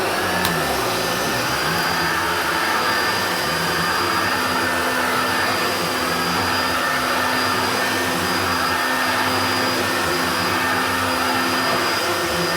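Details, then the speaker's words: Hoover Turbopower Junior U1222 upright vacuum, little-used example that had seized on its pivots, running: smooth, steady high whir at constant pitch, no grinding or rattle; sounds better than the other U1222, motor and bearings healthy. "And this one does sound a lot better than that one."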